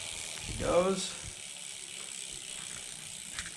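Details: Homemade SWB bike in the 39-tooth front and 11-tooth rear gears, recorded one hand-length away: a soft, even whir from the chain over the idler without the chain keeper, quiet and free of rattle.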